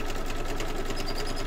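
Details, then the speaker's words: Embroidery machine stitching an 8x8 (7.8 in) hoop quilt block: fast, even stitching chatter with a heavy low thump on every stroke, louder than usual; owner is listening for a problem, cause unconfirmed, may work itself out. "sounds a bit thumpy doesn't it I'm just listening if I stop talking I'm just listening very carefully because I want to hear if there's anything going on with my machine"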